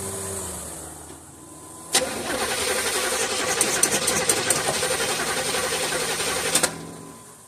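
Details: 1976 Olds 455 big block in a 1984 Blazer/Suburban hybrid, sat 155 days, cranked after spraying carb and choke cleaner: steady starter churning about three turns a second for five seconds with no firing or kick; cranks but no start.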